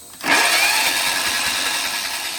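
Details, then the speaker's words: John Deere 111 mower with a swapped-in replacement engine, cranking with an even whirr but never firing. No spark at the plug; either the coil gap is set wrong or the coil is dead. Swapping the coil later confirmed a dead coil. "No spark. That should have shocked me right there and it did not. So, either I got the coil gap spaced wrong, which is possible, or it's got a dead coil."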